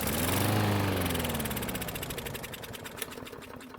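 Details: Craftsman lawn mower that wouldn't start; the owner suspected no spark. After priming the engine with fuel, it fires and runs a moment, then its beat slows to about four a second and it coasts to a stop.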